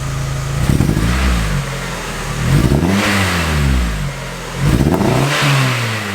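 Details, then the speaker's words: 1999 Mazda Miata with built 1928cc 11.0:1 engine, first start after six years parked: three revs with a rough uneven stumble; coil pack suspected and on order. Misfire on revving. "hopefully that clears the misfire um but i'll give it a couple of misfirey revs for the camera if you can hear it"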